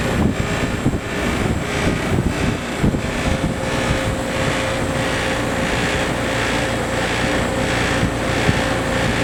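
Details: Trane XL15i AC outdoor unit installed fall 2013 with a Trane XV80 furnace: steady fan roar and low hum with a faint, regular rattle pulsing about once a second.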